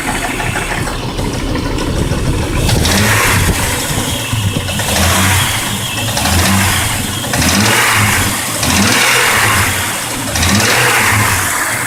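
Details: Jeep Grand Cherokee WJ 4.0 engine running: clacking from the engine bay that swells every couple of seconds as revs rise and fall; cause not pinned down.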